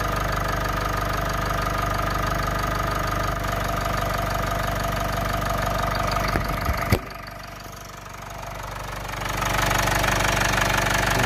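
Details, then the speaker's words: Mitsubishi Outlander diesel idling after timing cover resealed (sealant cured overnight, fresh oil), cracked exhaust manifold awaiting parts: even clatter, no rattle from the timing case, one brief clunk; sump then leaked. "There is absolutely no noise now coming from that timing case area. It sounds mint."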